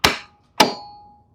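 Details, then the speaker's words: Lawn mower: turning the key gives a single sharp metallic click, then silence, and the engine never turns over; starter solenoid suspected, to be checked with a test light: click, no crank. "Here is your second just clicks sound. This is very, very common. We're talking about a starter solenoid."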